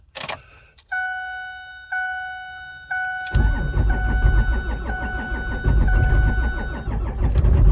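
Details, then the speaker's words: 5.9 Cummins at 12 °F, coolant 14 °F, no block heater or grid heater, two 5-year-old batteries, anti-gel fuel, no throttle: chime then slow heavy cranking about 3.5 beats a second, not catching; cold hard start. "It's 13 degrees. Excuse me. It is 12 degrees. Let's try it. Whoa, it did not like that."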